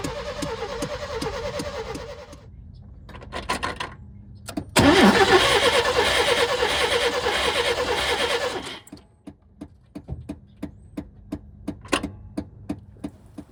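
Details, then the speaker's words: Old OBS Chevy truck after an oil change with 10W30 and a fresh fuel fill, primed and given starting fluid: starter cranks in steady even pulses, briefly tries to catch, never fires; no spark. "I know the video kind of ended abruptly with me last showing that we had no spark."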